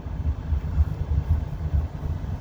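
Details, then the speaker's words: 2008 Toyota Avensis dual-zone climate control after replacing the driver-side temperature actuator (stepper motor) that crackled when adjusted: ignition on, engine idling, no crackling or clicking from the dash, actuator runs quietly. "Включай зажигание, регуліруй. Посторонніх звуків немає."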